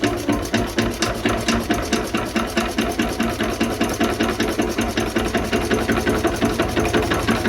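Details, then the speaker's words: 1920s Renée stationary engine, not run for years, restarted after a filter was fitted: steady, even chuffing of the single cylinder with no knocks or rattles; it had simply lacked compression; running normally. "Putain, je suis content, il fait pas un bruit! Rien."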